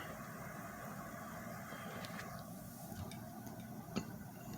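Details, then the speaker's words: Dirty, uncleaned, unlubricated 10-inch Windmere box fan on low speed: faint irregular light ticks over a soft low fan drone, a small vibration rattle at low speed. "does have a little vibration on the low speed and we'll kick it up to medium"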